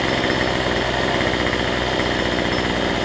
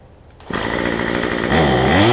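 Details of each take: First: Cheap weedeater (number 3 of 4) after fitting a replacement Chinese carburetor kit: high, even two-stroke buzz holds steady without surging or dying throughout; trimmer running healthy after carb swap. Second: Cheap two-stroke weedeater number 2 on a new $6 replacement carb, just primed and started, air filter off: catches and burbles unevenly, then revs with a wavering note; carb way out of adjustment, running rich and smoking.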